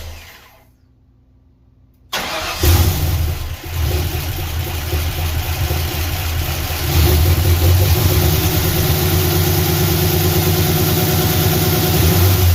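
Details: Ford engine with a strange noise that began while driving home, started after pushrod work and new plugs, valve covers possibly off; steady idle with rhythmic tapping about three per second over the exhaust, suspected valvetrain, cause unconfirmed.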